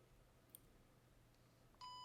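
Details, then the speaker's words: PenFriend label-maker reader pen switched on by holding the on/off button two seconds: faint room hum, then one steady high beep as the LED lights; normal power-on signal. "you hear the beeping and the LED is on it's bright enough for me with very low vision to see it so it is uh pretty bright"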